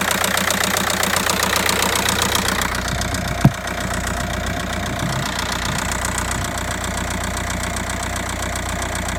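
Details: Audi A3 8P 1.9 TDIe 105 hp (BLS engine, 2009) diesel: steady idle with busy, rapid ticking clatter throughout; engine noise at idle, source not pinned down.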